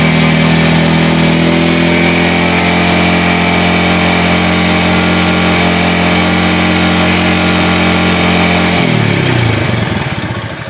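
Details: Yamaha Vega ZR/Jupiter motorcycle, final check after starter and charging-circuit checks, battery 12.5 V: steady, even idle hum that holds without stumbling, then winds down smoothly; healthy.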